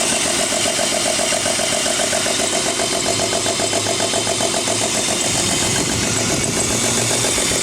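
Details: 1994 BMW 325i rough idle after cold start at 9am in about 45°F weather: uneven, stumbling idle, three or four irregular pulses a second; worse in drive, rough acceleration easing at higher speeds; cause unconfirmed, owner will check vacuum lines, spark plugs and coil packs.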